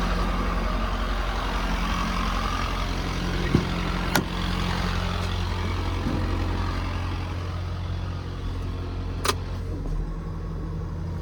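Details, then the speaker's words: 2011 Ford F-550 service truck, 6.7 Powerstroke diesel, six-speed automatic, 4x4, 222,546 miles, idling with a light uneven rattly PTO gear chatter over the rumble; it goes away when the PTO is engaged or revved, normal on early 6.7s. "you do have a little bit of PTO chatter um you can hear it right now anytime you're idling um you'll hear that PTO chatter so once you engage the PTO or once you rev it the chatter goes away away but that that chatter at idle is normal on these a"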